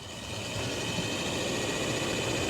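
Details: 2004 Toyota Tundra, newly replaced HVAC blower motor run on low during an amp-draw test, drawing about 2.3 A: smooth, even rush of air settling into a steady hum with no ticks, squeal or wobble. A healthy new blower motor.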